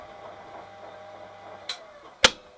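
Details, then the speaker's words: Transwave static phase converter after repair, boost working again: low electrical hum, light tick, then one sharp clean clack as the load-control contactor pulls in extra capacitors; relay drops them above 300 V on third phase; normal switching. "so so that contact the kicks in turns the extra capacitors on and that's about it"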